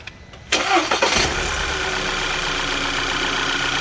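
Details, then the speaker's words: 2011 VW Tiguan that had P0300/P0301/P0303 misfire codes: cranks briefly, catches cleanly and settles into a steady, even idle; normal start with no misfire. "okay we started normal we started beautiful with no misfire"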